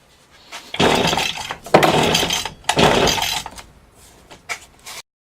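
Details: Stihl FS 80 R trimmer with fresh fuel and new fuel lines: three hard pull-cord rips spin the engine over but it never fires; there is no spark, traced to a failed ignition coil.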